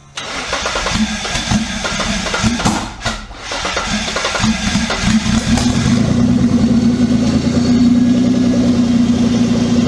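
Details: Twin-turbo Mitsubishi Triton with a 3.0L 6G72 V6, running a new ECU. Brief cranking, then it catches quickly, revs up and settles into a steady, even run with no misses. A clean, healthy start.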